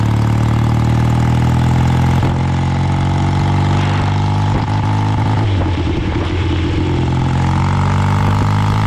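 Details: Old BSA twin-cylinder chopper on short road ride in rain after fuel tank cleaning and fixes: uneven lumpy exhaust stumbling as revs rise, one cylinder not pulling, misfire under load; still running poorly, never dies, owner suspects carburetors or ignition.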